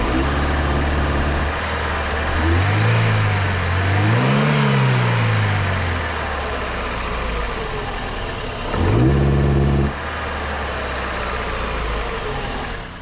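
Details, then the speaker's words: 2005 Daewoo Lanos 1.5 L: fuel pressure under 2 bar at idle (spec 2.8, 3.2 on rev); revs rise with a drone on gentle throttle but the engine bogs and moans flat on snap throttle from low fuel pressure. "якщо відкриватись плавно то двигун набирає оберти але якщо короткочасне різке відкриття то він просто затикається і починає"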